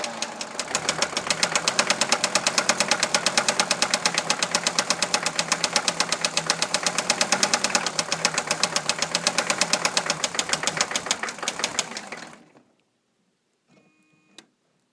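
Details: 1982 Mercedes-Benz 300SD turbo diesel at idle, vegetable-oil system bypassed: sharp steady knock about three per second, sounding like a rod but seeming to come from the fuel distributor; engine cuts out and restarts, still seems fuel-starved; cause unconfirmed.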